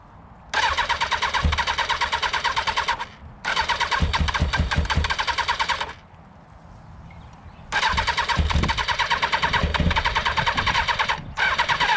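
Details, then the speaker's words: Motorcycle left standing a month, after choke attempts: several long bursts of steady cranking with even compression pulses and no firing. It turns over but won't start; the owner suspects it is flooded and that maintenance is needed. "i think i'm going to kill the battery so i've come to the conclusion that we're probably going to need a little bit of maintenance to get that going"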